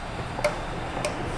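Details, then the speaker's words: 2008 Nissan Frontier with no low beams, during a scan-tool active test: two crisp clicks about half a second apart as the high beam relay switches normally, while the low beams stay dark. "I can hear that high beam relay over there."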